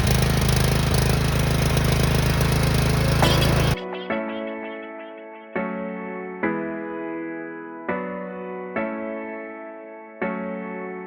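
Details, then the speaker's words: 6500 W gas generator unstarted for 3 years, stale fuel drained, reassembled, started on choke: strong even drone with steady low hum for a few seconds before music covers it; normal running. "Give her a minute. Yeah, give her a rip. She'll fire right up."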